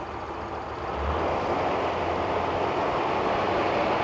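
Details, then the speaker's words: 1985 Porsche 928 V8, in park with the emergency brake on, started up: catches and settles into a steady, even hum with no stumbles or hunting; normal idle. "success oh that's The Sweet Sound of success right there how about that how about that good girl"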